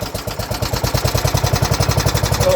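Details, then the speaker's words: 1970s John Deere 212 lawn tractor that hadn't run in years fires on sprayed ether: rapid, uneven firing at roughly nine pops a second, running only on starting fluid. "Yep. It smells like ether. yeah. Well, it runs. Yeah. That's good."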